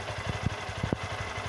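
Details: Honda Fan 160 motorcycle engine, recorded on a phone: small single thumps at an even idle with light valve ticking on top, nothing irregular; a normal-running engine.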